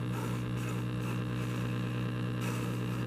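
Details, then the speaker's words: 1936 Zenith 6B129 shortwave radio powered on: slight hum, possibly the power-supply vibrator, under static with no station reception; light bulb not glowing, possibly related to earlier modifications. "if we turn the radio on i'm getting stuff on the speaker some slight hums and whatnot sounds like the vibrator in the power supply which might be a thing but i'm not getting much other than static which is not good"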